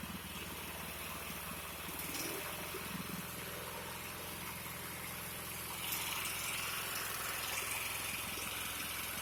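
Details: 36" Bunton walk-behind mower, single-cylinder, after carburetor cleaning and throttle fix: steady, even running, no misses or surging, holds speed; normal running.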